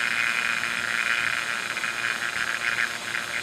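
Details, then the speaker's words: Ductless heat pump line set being evacuated with the valve cores removed: steady hissing gurgle from the vacuum pump that gradually tapers off, showing no massive leak. "you can hear it's gradually tapering off letting me know that I don't have a massive leak somewhere"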